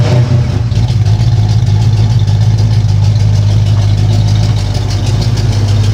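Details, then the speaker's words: 1977 Ford Mustang II, running for the first time since its rebuild nearly two years earlier, motor finished and cleaned: a deep, steady V8 idle with an even low rumble and a slight rev rise. It runs smooth with no misses or knocks. "Okay, so we finished up the motor, we cleaned it up and everything, and now it starts right up."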